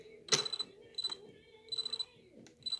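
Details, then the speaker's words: RC rally car after rollover crash, ESC solid red light: faint high chirps in short bursts on trigger, motor never spins up; stuttering, not driving. "you can hear something going on so it's trying to do something and we can see a solid red light on the esc"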